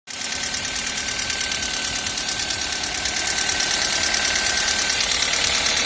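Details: Toyota 1ZZ engine: a sharp, regular ticking at about three per second over a steady idle; valve tapping in the top end.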